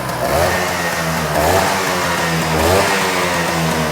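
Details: Restored Vespa P200 two-stroke, very first kick start of the rebuilt engine with choke out, oil line priming: buzz rising and falling through repeated throttle blips, picking up cleanly each time; normal running.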